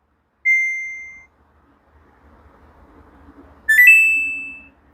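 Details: Samsung top-load washer after repair of the defective main control PCB, which had made the drain pump run non-stop: two short high panel beeps, the second rising slightly, with faint motor hum between, normal tones while selecting an 8-minute spin cycle.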